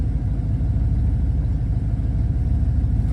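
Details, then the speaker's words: 1967 Ford Falcon 302 V8 carburetted with Carb Cheater 2.0 air-bleed fitted, just started: deep, steady loping idle burble, no knocks or misses, running slightly lean as usual at first start; normal warm-up idle. "I'm going to fire it up. Carb cheaters will connect. And it's idling happily right now. Little lean, but it usually does that when I first start it."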